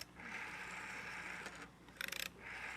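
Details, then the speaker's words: AWA PMG 802 rotary dial telephone: thin steady squeal through the dial wind-up and return with a burst of about eight clicks; the dial squeaks and needs cleaning. "it's going to need some work. It's a little, you can hear it's kind of squeaky. It's going to need some cleaning."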